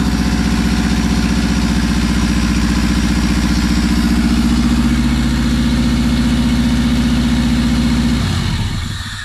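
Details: Subaru WRX's first start after almost 4 years sitting, with no exhaust/downpipe, no intercooler and no radiator: loud unmuffled engine holds a steady raised idle with no misfire or knock. Sounds healthy.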